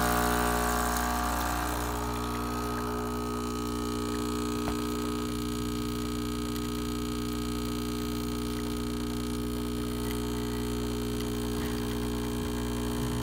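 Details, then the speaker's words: Breville BES820XL espresso machine after replacing a stuck, failed solenoid valve that caused clicking/grinding and a leak: steady, even pump hum during the shot, no clicking or grinding; normal pump operation. "we replaced it and so the sound is gone and the leak is gone as well"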